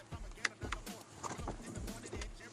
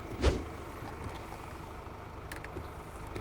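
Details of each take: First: Mercedes-Benz windshield wiper blade chattering before repair: uneven juddering thumps and squeaks as the blade drags instead of gliding, with no oil film on the glass. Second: Mercedes-Benz wiper after hand-adjusting the blade link, heard outside in steady rain: only a soft even sweep and one light thump at the start, no chatter or squeal; noise almost eliminated.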